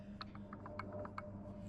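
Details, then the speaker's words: Mercury Optimax 150 outboard air compressor, turned slowly by hand: soft single clicks from free play before the piston moves, seriously worn crank pin and rod bearing; no noise was audible while running, heard only up close. "That's how far it moves before a piston moves that direction. That means the crank pin goes into the rod down here, has some serious wear."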